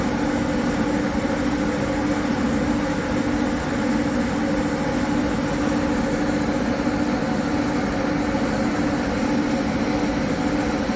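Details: High-mileage Harley-Davidson V-twin with S&S 129 Power Plus kit, big injectors and kit cam, under load on dyno after tuning: steady, even roar holding constant pitch with clear hum; normal running, 136 hp, 154 ft-lb, all mid-torque.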